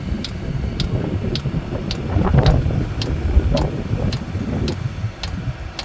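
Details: Chinese diesel heater in a Mazda Bongo/Ford Freda with E-08 (suggested fuel problem) and E-10 codes, run on temporary exhaust: sharp, even ticks about twice a second over wind rumble from the dosing pump feeding fuel, possibly faulty.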